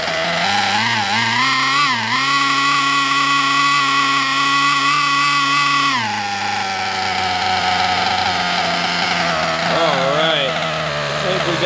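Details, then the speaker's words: Nitro RC engine on break-in bench, first tank, heat gun used to raise temperature, after adjusting low-speed needle: high buzzy engine settles into a steady even idle after brief pitch dips, normal idle. "a good idle there it goes i had to adjust the low speed needle i think we're going to be okay"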